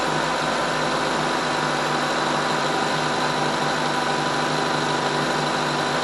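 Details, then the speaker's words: 2012 Mazda 3 sedan at idle after reassembly with new sensors and intake runner actuator work: steady, even idle with a smooth hum, no knocks, ticks or stumbles; normal running, though a VSV solenoid later ran very hot. "so everything sounds good here going stop the video here and look at the code haven't heard anything strange but that's a good sign"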